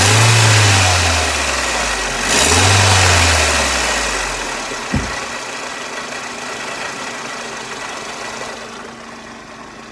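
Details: Mercedes SLK R170, warm, two revs then idle: raspy exhaust note, with an occasional ting ting heard at other times. A leak was suspected and a failed central exhaust mount found, but no leak can be felt; it may be normal.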